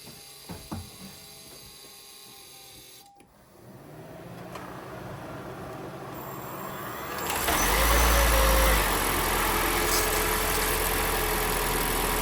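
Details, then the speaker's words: 2019 Toyota C-HR Hybrid 1.8 after basic service (oil, oil filter, air filter change): quiet electric hum, then petrol engine cuts in and settles to smooth, steady idle without roughness or knocking; engine sounds good, running sweet, normal idle. "that's it engine sounds good running sweet"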